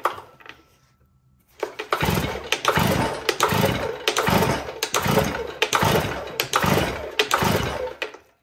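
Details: STIHL TS500i cutoff saw that won't start, with fuel from the exhaust per customer; retried in run position after cleaning and reseating wire connectors; raspy pull strokes about one a second, never firing. Cause suspected, unconfirmed.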